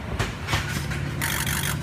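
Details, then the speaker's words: Diesel truck injector buzz test after customer-supplied module installed and codes cleared: short separate electric buzz bursts over a low hum, one injector after another, each firing cleanly. "now number 2 and 8 i'm going to count every buzz and rush over to real quick"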